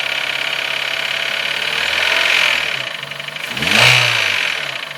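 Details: Nissan Note HR15DE: a sharp, ringing metallic tick over idle and blips, its rate rising with revs. It began after cleaning the injectors and intake with carb cleaner, is louder cold and eases as it warms, and the swirl flap was checked. Cause unknown.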